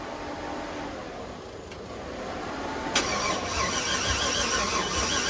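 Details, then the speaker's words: LS6-labelled 6.0 LS swap with 80 lb injectors and new fuel pressure regulator, battery on charge: faint sluggish cranking, then a sharp catch near three seconds as the engine fires and runs rough; owner says the battery was dead. "all right so the engine did start um before i was recording but the problem is that i'm by myself and i couldn't record it but the engine did start"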